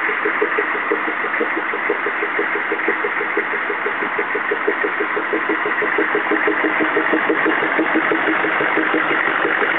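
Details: CUCV-II 6.5L diesel at idle: steady, even popping at roughly two per second over the idle, clear and persistent; the source of the pop has not been found.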